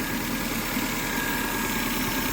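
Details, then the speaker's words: Car at steady idle: constant airy hiss and faint high whistle over the engine; owner suspects a vacuum leak, then smoke appears and a power steering problem is suspected, with power steering fluid level a concern. "Kind of sounds like a vacuum leak. Oh, it's I know what it is. Wait, do I know what it is?"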